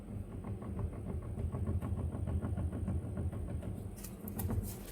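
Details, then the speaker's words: Volvo XC90 front left strut, still fitted with the spring and top nuts untouched, rocked by hand: quick, uneven clatter of about three knocks a second; the strut top mount bearing is loose and moves up and down; worn strut mount bearing rattle. "Вот почему стучал подшипник, скорее всего, опора стойки. Всё болтается."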